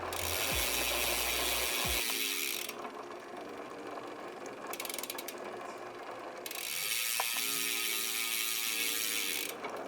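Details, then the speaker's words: Bicycle front derailleur after adjusting height, angle, cable tension and limit screws: crisp ticking of the chain through up and down shifts, with clean quick changes, no chain rub, grinding or dropped chain. "and down on the front derailer to ensure everything is running smoothly and no chains are falling off."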